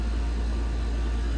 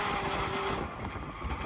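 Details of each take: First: AC condenser with new condenser fan motor and dual capacitor, old motor was noisy with bearings suspected bad; steady low hum at full speed, no rattle, scrape or bearing growl; amp draw under 1.0 A rating; normal. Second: Air conditioner condenser fan motor: steady motor hum with a thin whining tone that fades after a moment; worn bearings.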